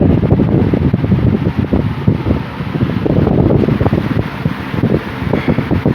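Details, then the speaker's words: 1950s Worcester Wizard 6JC3020 20-inch box fan with sleeve bearings, running on high before restoration: strong even air rush, good breeze, no hum, rattle or wobble; motor good and strong, normal. "Fan is very powerful. It's good. Motor's good and strong to it. Good and strong. There's no humming or anything like that, so that's a good thing."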